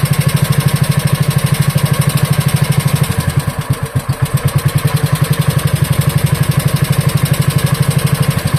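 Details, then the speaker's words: Wisconsin Model AB single-cylinder engine after carburetor clean, rebuild and reinstall: slow, steady chuff around three beats a second, even and clean, set to run as slow as possible at low idle; it later died at that setting. "That's running That was running pretty slow."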